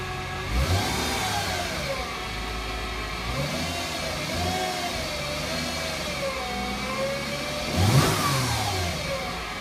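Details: 2008 Mercedes-Benz C300 V6, stock exhaust, cold start and revving: high whine rising and falling with revs from a failing alternator; replacing the alternator removed the noise.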